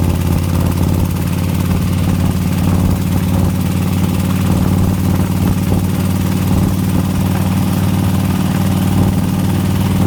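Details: 2004 Harley FLHTCUISE 103 at idle: steady loud V-twin idle with light quick ticking over the low thump; owner asks what the horrible tick is, source unidentified.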